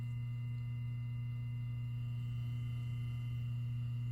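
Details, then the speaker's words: 1998 Patton 20-inch high-velocity fan motor after cleaning, oiling and reassembly, first test run without blades on low speed: smooth, steady low hum with no ticking, rubbing or rattle. Normal fan motor running. "Nice and quiet. Perfect."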